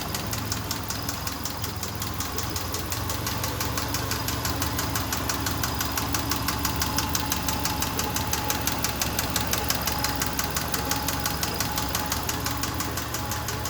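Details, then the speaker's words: Subaru Forester petrol engine at idle: steady rapid knock about three per second over the running sound; owner asks if piston slap or tensioner pulley, cause unknown. "Hey, what is this noise, guys? Please, any Subaru mechanics. Did a piston slap?"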